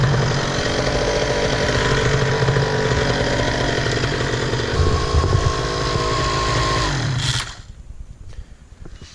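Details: Miniplane Top 80 paramotor two-stroke test-run after replacing the secondary ignition coil wire and spark plug boot: a strong, steady buzz holds even revs for about seven seconds, then shuts down cleanly. The engine is healthy after the repair.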